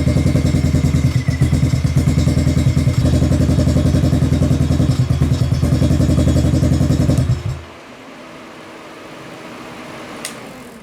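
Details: Kawasaki KFX700 quad, carb cleaned, spark present, timing chain checked; uneven stumbling idle with occasional pops backfiring into the intake; intermittent misfire, owner suspects stuck valve or bad timing chain.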